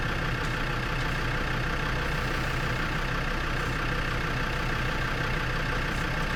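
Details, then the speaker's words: Lansing Bagnall Model A tug with a Perkins P4 diesel, just started cold after long storage, idling with an uneven stumbling beat as some strokes drop out. Running but missing; owner suspects injector trouble. Oil pressure is present. "there you go guys a right a run y move missing a bit having inject of trouble not smoke"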